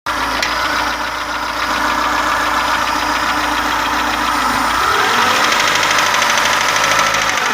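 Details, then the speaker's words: Daewoo Sens / Lanos 1.4 engine with repaired head, running: sharp regular knock about three per second over idle, caused by a protruding valve-guide bushing in cylinder two, not rockers or camshaft; cylinder one's bushing is normal. "Вот этот стук. Тут нет такого. Ну, как бы, оп. Продольный вот такой сильный. Цилиндр номер 2. Даже видно, втулка вылезла."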